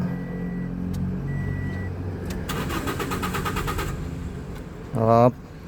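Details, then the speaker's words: Toyota Vios gasoline engine cranks but won't start, with no fuel pressure: even cranking with no catch. The fuel pump motor was suspected at first, but the wiring tested good and the pump hose inside the tank was found detached. "Doon sa PL pump motor ang may problema."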